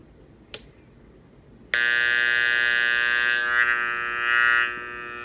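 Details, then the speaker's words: KRK Rokit 6 studio monitor, buzzing for a couple of days: a click, then a loud, steady high-pitched buzz from the tweeter only, not the woofer. It was fixed by replacing both 1000 µF 35 V power-supply capacitors. "so here's the noise that my KRK Rokit six started making probably want to say a couple days ago so it's gonna come out from the tweeter"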